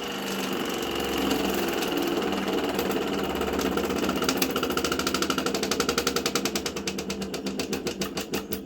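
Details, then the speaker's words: Mini tractor engine, first start in 13 years: runs, then loud heavy knocks build and slow as it winds down and stops; severe bottom-end failure, owner believes a snapped conrod, needing a replacement engine. "Oh dear. I think it's just snapped a conrod. Oh dear, guys. She's just snapped a conrod."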